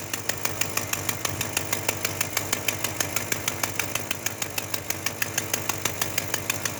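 Sharp, regular ticking about three per second over a steady idle, the puffing tick of an exhaust leak.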